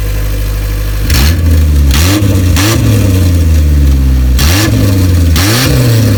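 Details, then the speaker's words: Isuzu Rodeo 4ZE1 four-cylinder after top-end rebuild (new head), compression not yet checked: steady idle with several quick clean blips settling back smoothly; runs on all four, slight misfire owner believes is timing. "she is running on all four cylinders and we have to check the compression but my god does it sound good there is a little bit fire and i believe that's the timing"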